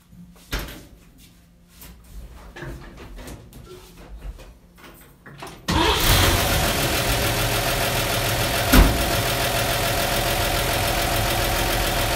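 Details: 1953 Chevy truck with factory draft tube, before PCV conversion, starting for a vacuum reading (20 of vacuum): a few seconds quiet, brief crank, catches, settles into a steady, even idle with no misses or knocks.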